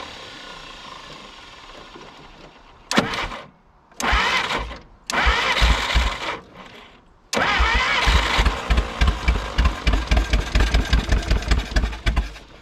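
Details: 1951 Willys CJ3A Jeep, off the road since 1969, with fuel poured in: short cranking bursts, then it stumbles and catches into a lumpy, uneven, smoking run. Owner suspects it flooded. Sputtering start.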